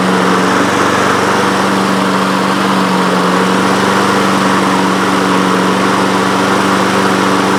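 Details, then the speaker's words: Honda HRN 216 lawn mower with GCV 170 engine, air filter off, after carburetor jet and emulsion tube cleaning and fresh fuel: steady, even single-cylinder drone with no misses, surges or hunting; running normally after repair. "Yes. Oh. Well, it's running again. We did it, and it wasn't that hard."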